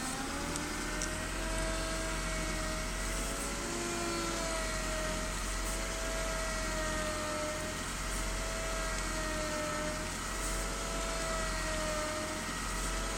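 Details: BMW E36 320i with new MAPCO power steering pump, fluid changed several times: steady high whine over idle, wavering slightly, increases with steering; cause not found.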